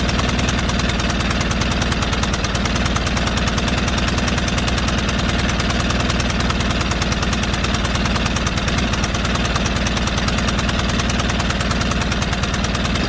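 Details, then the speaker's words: White Outdoor LT542G riding mower twin in a cold shop, running rough, drinking gas and putting fuel in the oil: lumpy, uneven pulsing of about three beats a second that stumbles instead of settling. The carburetor main jet was found missing. "I had a sneaky suspicion something was going around I mean going on with that you can just kind of tell how how erratic that motor was"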